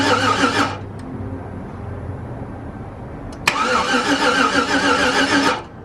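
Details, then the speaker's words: Yukon just reassembled, fuel pump relay removed to crank and build oil pressure before first start: two bursts of dragging, uneven cranking about three turns a second with no firing; the battery is running low. "just the battery's going low that's why it sounds like I could run the jumper 20 amp engine start"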